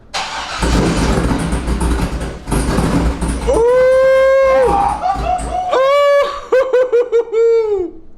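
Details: A 2004 C5 Corvette V8, freshly fitted with a BTR Stage 2 cam and new valve springs and not yet tuned, cranks and fires into a lumpy rumble. Sharp throttle blips rise and fall cleanly, and it sounds healthy.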